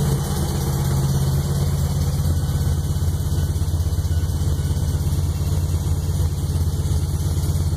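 Heavy low idle with a loose, uneven knock about three a second and occasional pops through it; something's knocking in the fresh rebuild. Cause suspected, not confirmed.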